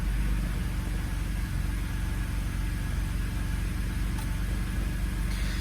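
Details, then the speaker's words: 2007 BMW E86 Z4 3.0si Coupé with newly installed Scorpion Red Power exhaust, first start before warm-up; deep even burble at idle, steady low pulses, no ticks or rattles, engine heard over exhaust; normal idle. "i can actually hear the engine again over the exhaust which is nice"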